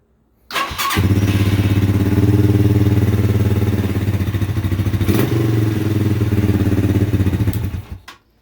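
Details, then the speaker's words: Chinese 200cc dual-sport motorcycle after an exhaust gasket and crush washer repair: the engine catches quickly and settles into a steady, even low thumping with no knocks or ticks; healthy running, idle slightly high. "Idle's a little high, but I ain't talking about that."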